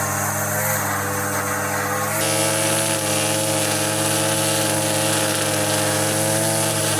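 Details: Line trimmer with Arnetoli F-ONE head cutting vertical edges: steady high two-stroke buzz holding revs evenly under load, no stutter or rattle; running healthy, head feels less vibrating than the previous one.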